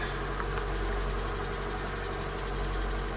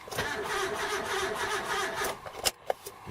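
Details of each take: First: Car with newly fitted replacement starter, after an import-model starter mismatch: low, fairly even idle rumble with a soft uneven patter on top, settling into a steady idle; owner suspects a sticking valve that seems to be going away. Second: Import car after fitting a replacement starter (earlier wrong starters), cranked with distributor disconnected: a couple of seconds of uneven, lumpy cranking with no firing, then clicks; abnormal cranking noise, suspected sticking valve, not confirmed.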